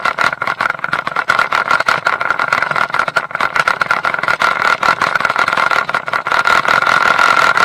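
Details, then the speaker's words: Mercury 150 HP outboard running in gear: fast, uneven rattling knocks about two to three a second; loose propeller torqued to only 40 ft-lb instead of 55 (retightened to 60), prop chatter, not the shaft. "you know it's when the propellers loose on there and when you put it in gear it rattles and knocks"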